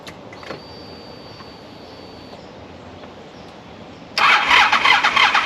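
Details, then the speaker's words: 2012 Honda ST1300 ABS V4 after major service, new front wheel bearings, tires and brakes: short crank, catches cleanly into an even, steady idle; healthy engine. "All right, I'm happy to report that sounds Great. I love the V4 motor in these motorcycles."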